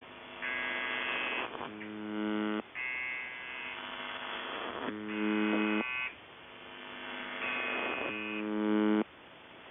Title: Weird Buzzing Sound On The Buzzer 7.2.2025